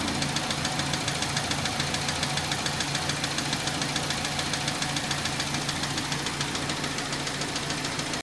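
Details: 2004 Hyundai Tiburon 2.0L at idle: a sharp, regular tick about three times a second over a steady idle that stops and then comes back; owner suspects a bearing, cause unclear.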